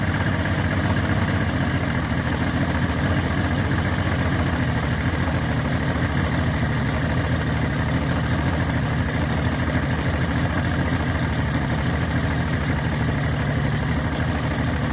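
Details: Yamaha 225 hp outboard after JB Weld repair of the block between cylinders 5 and 6, with compression of 120–128 psi: steady, even low burble with no misses, knocks or surging. Normal idle.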